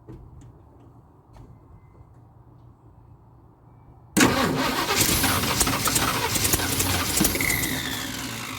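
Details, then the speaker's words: 1976 Ford F250 crew cab parked about 17 years, makeshift fuel tank, recharged battery: near silence then a sudden loud catch into a rough, uneven run after cranking; runs briefly then dies, possibly flooded; owner suspects fuel pump not picking up and Holley carburetor. "well after a few more off-camera try she still does about the same thing she'll run for a little bit and then just kill out and die"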